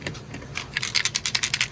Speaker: oh bad thermostat let's open it up and see the battery rattling around in there